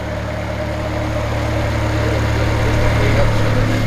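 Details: S14 Nissan Silvia, neglected for 14 years, running again after being fuelled: a steady, even idle with a smooth low hum that builds slightly, running cleanly with no knocks or misses.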